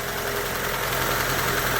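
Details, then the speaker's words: Hyundai Getz, cold engine just after replacing the hydraulic lifters: steady, even cold idle with a smooth hum and no tapping from the top end; lifter knock resolved. "Ну зараз прогріється побачимо але вже видно що проблема зі стуком гідроконденсаторів вирішена"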